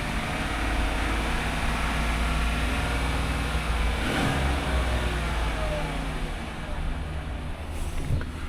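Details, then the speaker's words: Used auction vehicle at idle, no current codes but codes cleared 49 miles earlier: a steady, even, deep smooth hum with no knocks, ticks or misses. The engine sounds okay. "I would say that sounds okay."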